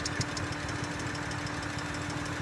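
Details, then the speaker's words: Engine down on power that wouldn't rev higher, with no misfire codes though the owner thinks it's misfiring: lumpy idle with an uneven stumble breaking the firing rhythm every fraction of a second. Engine misfire at idle. "Doesn't have any misfire codes. Oh. But I think it's misfiring."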